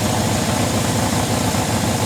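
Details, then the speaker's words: Suzuki GS750 motorcycle, about 23,000 miles, first run after sitting, being run out of gas: even steady idle with regular low pulse, no misses, knocks or hunting; runs normally, may need valve adjustment. "doesn't sound half bad. Now I'm running it out of gas. It's going. And there it goes. So, it runs. Don't sound half bad."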